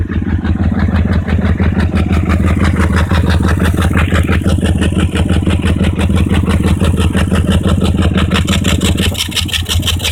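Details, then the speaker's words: BMW E39 540i at idle, loud uneven exhaust chuffing that stumbles and nearly dies when the disconnected pre-cat O2 sensor is screwed back in; misfire and stalling from back pressure of clogged catalytic converters. "and you can instantly hear the engine dying and by back pressure I just meant pressure inside the exhaust"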